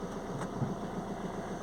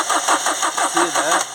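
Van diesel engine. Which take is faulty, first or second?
second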